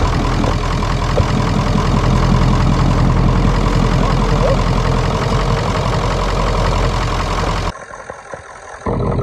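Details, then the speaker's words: 1996 Ford F250 7.3L Powerstroke diesel, first start after sitting, revived with starting fluid: deep, even diesel clatter at a steady idle with no misses or knocks. It runs properly, with the check engine light on and possibly not charging. "Never dreamed that truck would have come back to life that quick."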